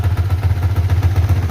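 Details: Yamaha Vixion NVL after the cylinder-head ticking was fixed and oil now reaches the head; leftover oil is burning off as smoke. Steady, even idle running slightly high with no top-end ticking. Normal idle, slightly high.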